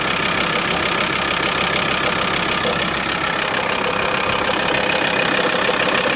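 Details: VW T4 2.5 TDI (ACV engine) diesel idling: fast, uneven ticking rattle about three per second over the engine, disappearing when a little throttle is given; abnormal idle noise, cause unclear.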